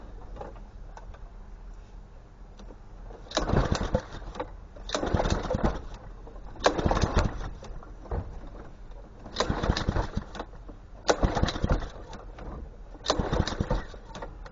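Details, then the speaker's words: Honda GCV160 lawn mower engine, just after an ignition coil replacement. Six pull-start attempts about two seconds apart, each chugging briefly and dying without catching; hard starting, owner suspects a bad spark plug with no spark (unconfirmed). "Spark plug ain't real good in this thing. That's what I'm thinking. No sparky. Spark plug's no good."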